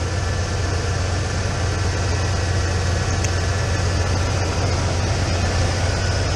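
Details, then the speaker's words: 1996 Ford F150 pickup after high idle repair (TPS replaced, throttle body gasket and hose), outside while bleeding cooling system: smooth steady idle about 950 rpm per gauge, no hunting or surging; normal idle. "Alrighty, we got her running. We backed her outside, and it's doing what idling properly now. Proper idle speed."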